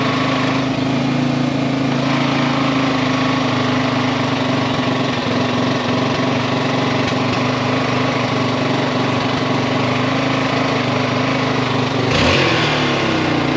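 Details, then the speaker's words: Yamaha XT350 single-cylinder after a coil change: steady idle that caught on its own, with an odd extra ringing tone riding over the beat; source of the noise unknown. "It actually caught its own idle. Huh. I don't know what that noise is."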